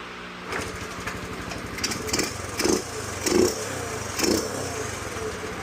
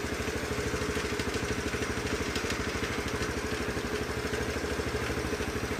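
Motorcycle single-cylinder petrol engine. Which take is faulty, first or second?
second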